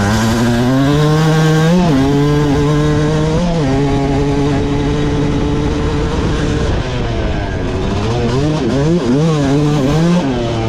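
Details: Suzuki RM250 two-stroke with a newly fitted, tuned Lectron PRO carburetor: a full-throttle pull revving cleanly through the gears without bogging; idle afterwards hangs a little high and may be slightly lean.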